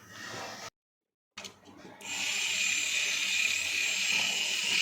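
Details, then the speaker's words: Walking elephant toy after repair and reassembly of the gear mechanism, tested before refitting the body: steady high-pitched geared-motor buzz, running evenly without clicks, catches or stalls; working properly. "चल रहा है हमारा तो आपने देखा किस तरीके से ये हमारा क कर रहा है और प्रॉपर कम कर रहा है"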